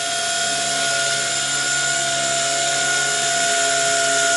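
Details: Blade 180CFX RC helicopter in flight: steady high whine over the rotor buzz with a thin squeal creeping in toward the end; owner suspects worn bearings needing replacement.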